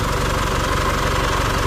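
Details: Isuzu D-Max 4JK1/4JJ1 diesel after overhaul with genuine parts and new injector nozzles, during hours-long post-repair run-in: steady, even idle with regular low beat, no knocks or rattles; runs smooth.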